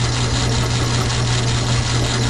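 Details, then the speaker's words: Logan lathe change-gear train with a newly made brass idler bushing, running with a steady low hum and an even whir, with no knocks or clatter; the gear train runs quietly and smoothly. "All seem to be running really good. Quiet. I think the only noise I'm getting out of it now is just stuff up in this part here."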